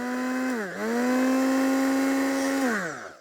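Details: Older Tiffany brand two-speed hold-on blender: a clean motor whine spins up, dips, settles higher, then winds down, with no rattle or grinding. Both speeds work with little vibration, running normally.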